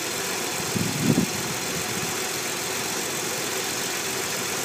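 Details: Nissan 300ZX twin turbo at a quiet, even idle with a soft, steady, unchanging hiss; vacuum leak on the intake side.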